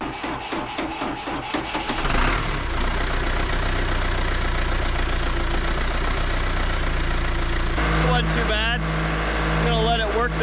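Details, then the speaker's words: John Deere 4039 diesel in 310D backhoe just after Stanadyne DB2 injection pump replacement: catches after cranking, runs heavy uneven beat while air works out of fuel system; cleared up after four or five minutes. "So, it sounds really good now. Now, it took probably four or five minutes till it cleared up. So, expect that."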